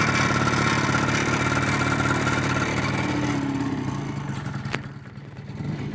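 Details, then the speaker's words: 1988 Yamaha BW'S, Japanese-market scooter: starts with a quick, light two-stroke buzz and settles into an even, steady, quiet idle without rattles or misses; normal idle. "Et voilà, l'engin qui démarre, pas bruyant du tout."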